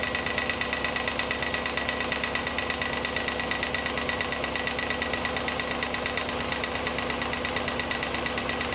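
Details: Audi A8 D2 4.2 ABZ V8 idling with drive belt removed: steady, even tapping about a hundred a minute from the timing cover area, caused by a loose front cover with a missing bolt, refitted with threadlocker.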